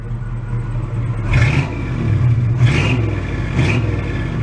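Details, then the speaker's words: 1986 Oldsmobile Cutlass Supreme Brougham, roughly 150–160 hp, after sitting 5 years, now running in the garage after an initially stuttering idle. A deep, even V8 rumble with smooth throttle blips: it sounds better now, throaty and healthy. "actually it sounded better actually sounds really throaty huh"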